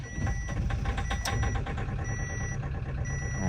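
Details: Great Wall Hover H5 with 4D20 diesel at 213,000 km: starts very poorly, then runs with a rough, fast, steady ticking clatter and slight clunking; injectors suspected despite a recent owner repair, unconfirmed.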